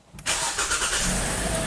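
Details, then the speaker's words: 2017 Kia Sportage cold start after replacing both cam and crank position sensors for extended crank and stalling; very short crank, catches at once and settles to steady cold idle, no engine light; healthy start, believed to be the fix. "so the vehicle start right up, no engine light, nothing. Okay, it's cold, so you gotta let it idle for a bit."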